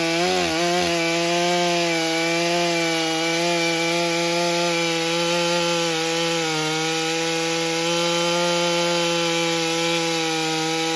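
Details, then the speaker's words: Stihl MS661c chainsaw rebuilt with a forged Wiseco piston, first tank on 40:1 mix, 32-inch bar nearly fully loaded in soggy poplar: holding a high steady scream with only a slight dip; strong, clean running. "You could kind of hear it four-stroking a little bit on that first cut, and then it started to clean up in the second cut for sure, and really was doing nice."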